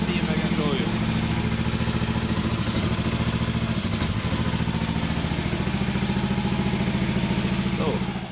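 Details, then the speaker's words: Hinowa tracked minidumper gasoline engine after repair: even thumping idle about three to four beats a second, no fan rub or scraping, parts ground in; normal idle. "and as you can hear now it's not much sound from the fan or anything the most most of the parts probably have grinded themselves in there so ah it did wear pretty good no noise no nothing but the fan is working so great fix"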